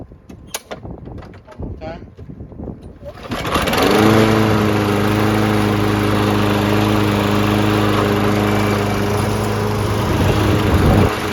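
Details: Lawn Boy 20-inch self-propelled mower after carb cleaning (the no-start was blamed on a badly oil- and dirt-soaked filter): a few pulls, then it catches and settles into a steady, even constant-speed drone; running smoothly.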